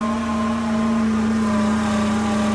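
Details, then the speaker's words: Dual dry clutch transmission (FPT C635 DDCT) from abandoned 2013 Dodge Dart with no history: harsh steady grinding howl with strong fixed tone over rough scraping, clutch pack failing in bell housing. "That terrible sound that you just heard was this. This is the dual dry clutch transmission out of a 2013 Dodge Dart."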